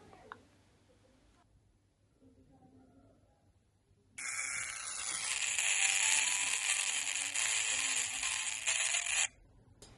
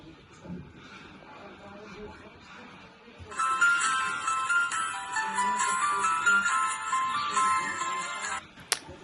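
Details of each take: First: Smartwatch rated waterproof to 1 m for 30 minutes, after falling into a pool, powered on while charging: its small speaker, also used for calls, gives about five seconds of harsh, buzzy, garbled hiss with nothing understandable, water-damaged and broken. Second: Phone smartwatch after pool water damage, speaker replaced, reassembled and powered on while charging: bright, clean startup melody with no crackle, buzz or distortion; new speaker works as it should. Normal speaker startup tune.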